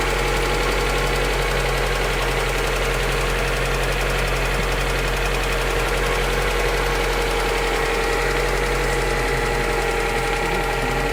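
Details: Lada Granta Sport engine at idle: steady idle with a loose, uneven knock and no clear sharp rhythm; source unclear.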